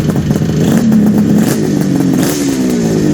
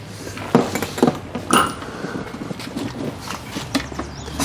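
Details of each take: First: 1974 Kawasaki H2 750 two-stroke triple, Fast by Gast built, on first start after 34 years: crisp ringing buzz with slight rise and fall in pitch, firing evenly with no misses; normal running. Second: 1974 Kawasaki H2 750 two-stroke triple, silent 34 years: repeated kick strokes about a second apart, each a brief churn with no firing; a no-start.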